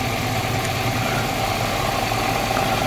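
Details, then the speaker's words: Toyota Starlet engine at idle during a quick health check (oil rising well at filler cap): even steady low hum, no rough or knocking sounds; normal idle. "kita dengarkan suara mesinnya Apakah ada suara-suara yang kasar atau tidak ya harus cenderung halus"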